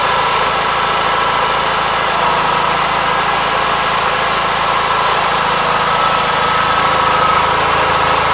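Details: 1976 Gravely 816 single-cylinder engine giving a constant buzzy mid-to-high drone with a fast even beat on the muffler and no misfires, after a missing fuse and a wire jammed in the fuse holder were found; normal running.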